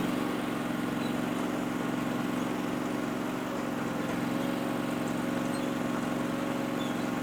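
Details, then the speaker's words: Powerease R740D twin-cylinder engine on a Chinese CRT-23 mini skid steer, after fixing fuel problems with an added fuel pump; smooth, even steady idle with no surging, popping or dying, where before it would pop and shut off. "It would just pop and shut off, and I don't know why low fuel causes it not to idle, but man, it just purrs right now. It idles so nice."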